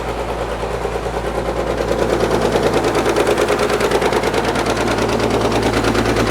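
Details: Caterpillar D6 9U diesel dozer running with a sharp, regular knock about three per second over the rumble. A leaking injector is suspected; the knock was later traced.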